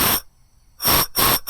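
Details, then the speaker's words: Four-style blow-off valve comparison, air hose applied to one valve with a pressed-in aluminium ring and rubber seal: sharp hissing bursts as air escapes around the valve body. Blow-off valve seal leak; owner expects a boost leak in use. "It's leaking around this valve here."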